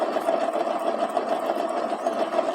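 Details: Kasinski KSZ motorcycle, about 2002–2003, at idle: a fast, even, sewing-machine-like clatter. With the clutch removed, the piston was found scuffed and seized on the cylinder and the crank bearings heavy and noisy. The fix is new crank bearings, gearbox bearing and cylinder work.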